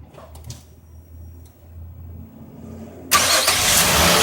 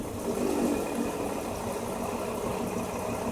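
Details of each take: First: 2005 Nissan Murano under misfire diagnosis with no code, after an ignition coil swap. The starter cranks briefly, the engine catches at once and settles into a steady, even idle with no stumble; all cylinders firing. Normal idle. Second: 2005 Nissan Murano V6 with a misfire and no fault code, injectors disabled one by one with a scanner: the engine stumbles unevenly as each working cylinder drops out; cylinder 4 makes no difference, so its injector is the faulty one.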